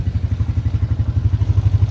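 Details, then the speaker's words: Arctic Cat 300 4x4 single-cylinder after oil refill and fixing a twisted carburetor needle that let fuel through, run for half an hour: even, steady thumping about ten pulses a second, no misses. "i got the oil back in um it's running good i've been running it for a good half an hour now"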